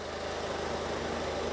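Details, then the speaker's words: 2017 Citroen Berlingo 1.6 diesel, freshly started after oil and filter change, not revved: even tick-over with steady low throb, no knocking or rattles, oil light out; normal idle. "Just let it tick over. It's not a good idea to rev an engine that's just been started up."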